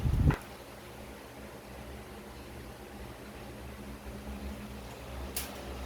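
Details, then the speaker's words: Electric fan after oiling the motor bushings/bearings to cure a loud squeak: low, even hum with no squeak, turning smoothly. "so it's testing time at Ayan na po maganda na ang ikot ng electric fan na wala n Naririnig na ilang very good"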